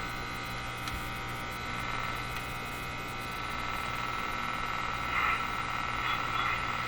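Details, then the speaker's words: Moffat Crosley G2465 five-tube radio: constant low hum with a faint buzzy rattle, suspected weak power-supply filter capacitors, possible motorboating feedback; not yet confirmed. "so there's quite a clear hum in this radio so I think we know what the next capacitor is going to be"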